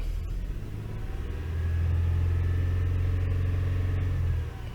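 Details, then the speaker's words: Toyota 3.0L/3.3L V6 revved, with a deep, uneven stumbling rumble, flashing check-engine light and strong steering-wheel vibration. The misfire is traced to the VVT-i oil control valve; cleaning failed and a new valve cured it. "shaking really bad. I can feel the vibration on the steering wheel."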